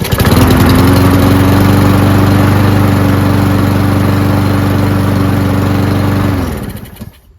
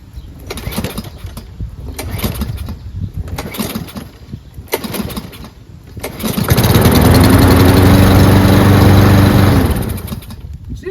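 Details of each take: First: Free Cub Cadet mower with MTD Powermore single-cylinder engine after long storage, started with a prime: steady even running about six seconds, no misses, then winds down cleanly; normal running, carburetor relatively clean. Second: Cub Cadet mower, probably an MTD Powermore engine, starting hard: pull-start clatter, then it catches, runs roughly a few seconds and cuts out. The owner suspects the recoil rope is too short to spin the flywheel fast enough for good spark.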